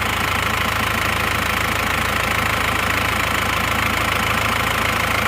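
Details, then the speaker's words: Isuzu Panther diesel with second-hand block, just after replacing lower timing gear, previously rough: even idle with steady fine clatter, no stumbles; normal idle. "jadi baru saja diganti gigi timing bawah itu jadi akrab sama Gigi penghubung itu suaranya seperti ini Kalau menurut saya suaranya itu emang lebih halus ya ini suaranya"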